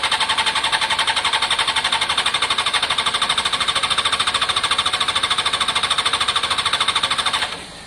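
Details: Honda CBR600 F4i fuel-injected, crash-damaged seven or eight years ago, non-runner, after injector cleaning with fresh fuel; rapid even starter cranking for several seconds, never catches before stopping; crank no start, fuel pump, possibly in tank, suspected, not heard priming.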